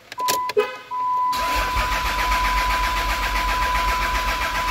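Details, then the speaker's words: Diesel dually after instrument cluster repair, cranked knowing it won't start to show the tachometer moving: steady fast starter churn with even compression pulses and faint whine, never catching. "you know for shits and giggles I will I'm gonna crank it it's not gonna start but watch the tack"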